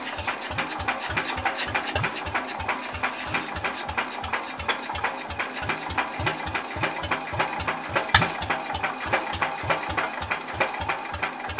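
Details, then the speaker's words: Old Cub (1953 or 1963) engine, choke stuck: even cranking about three beats a second with faint squeal on top, not catching; owner thinks drive belt squeaking, unconfirmed. "I think it's the belt squeaking for the drive yeah that's what that is I think I don't know so close guys"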